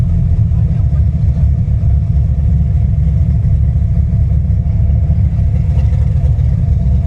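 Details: V8 with a big solid roller cam and an ACES Killshot fuel-injection kit, heard while driving: a deep, steady rumble with a lumpy, choppy undertone, normal cam lope from a healthy engine.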